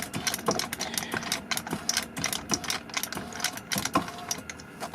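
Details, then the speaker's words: Ford BA Falcon power seat: rapid, uneven light clicking from the seat motors with no movement; electronics locked up, fixed by disconnecting the battery 30 seconds and reconnecting. "I was moving the seat backwards and forwards a million times I could hear the motors clicking but not doing"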